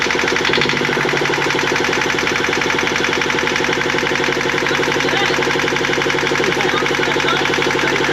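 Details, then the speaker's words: Rebuilt marine diesel in a 1965 Alberg 30 sloop, running in neutral with a little throttle: steady, even diesel clatter with no knocks or misses and no smoke; normal running. "It sounded fantastic too. Yeah, unreal. Super stoked."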